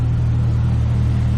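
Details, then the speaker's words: 1998 Jeep Cherokee XJ idling after the exhaust manifold leak was repaired again with a new header: a steady, even low rumble with no ticking or puffing. The exhaust noise under the hood is gone and all exhaust now exits at the tailpipe. "But all the exhaust noise is gone under the hood. Don't hear an exhaust leak anymore, and all of our exhaust seems to be coming out back here where it should be."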